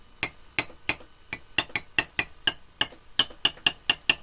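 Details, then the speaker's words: TV hooked to a Sharp VC5M6E multi-standard VHS machine with no audio output: sharp, dry intermittent clicks about three per second; suspected break in the panel or bad solder joints, not yet found. "The TV is clicking. So, somewhere, I think we have either a break in the panel or uh bad joints again."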